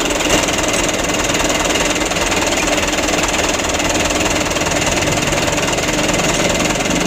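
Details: Canter 125 (2008) diesel truck, previously shaking with long cranking and low power, after engine adjustment: an even, steady idle with uniform light clatter and no misses, shakes or surges. Normal diesel idle.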